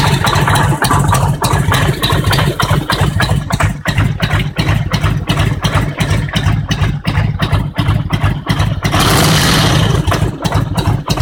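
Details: Harley-Davidson Road King Twin Cam 88 at about 50k miles: strong heavy knocks roughly three per second through a lumpy V-twin idle, a strange deep engine knock appearing around that mileage.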